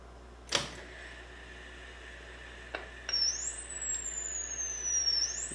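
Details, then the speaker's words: HP 3968A instrumentation tape recorder playing back recorded FM data after fixing a record card with bad contact to the record heads; after a click, a clean high warbling tone glides steadily without dropouts. Repaired, normal playback. "And here's the data. And you can hear the FM. So we repaired it!"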